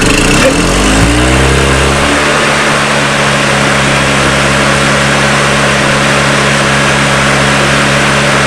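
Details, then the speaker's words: Old EZGO gas golf cart engine after carburetor work, a new fuel line and a primed bowl (it had run only with the choke fully on): it catches, settles within two seconds and runs steady and even without the choke. Normal running. "You guys just seen it there. No choke, runs. Alright, absolutely beautiful."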